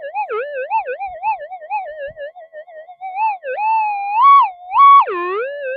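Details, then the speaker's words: Metal detector with a 175-inch monster coil in normal mode during nearby electrical storms: erratic warbling, swooping tone with no target, power-line-frequency electrical interference, much reduced by switching to a figure-eight coil. "you can see all that electrical interference we had before we get rid of a lot of it by going into the figure eight"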